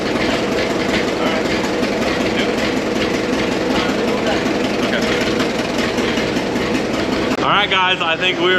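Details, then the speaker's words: 100-year-old Caterpillar machine, warm on a hot day after fitting a $55 part and adjustments: even, steady chuffing with no misses, pops or knocks; smoothest it has ever run, normal running. "this is the smoothest it's ever ran since we've had it everything's pretty well adjusted"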